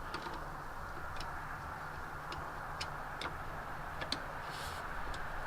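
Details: 1984 Ford Mustang GT350 Fox body, cold start just after a new starter was installed: sharp single clicks at irregular intervals, about eight in six seconds, engine never turns over; starter circuit problem, cause suspected, not confirmed.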